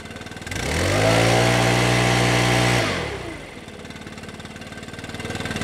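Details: Stihl BR600 backpack leaf blower after adjusting the hidden throttle trigger set screw to reduce trigger slop: engine climbs cleanly from idle to steady full-throttle roar, holds, drops back smoothly; full throttle restored.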